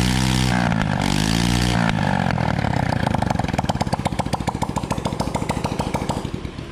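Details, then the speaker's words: Honda Wave motorbike after repairing a broken rocker arm and regrinding the camshaft, test start: revs hard then drops to an even, steady idle with clean firing and no top-end tapping; runs very smoothly. "nghe thì chưa tiếng nổ rất êm khi chúng ta mày cái chục k mẹ trục cam đấy"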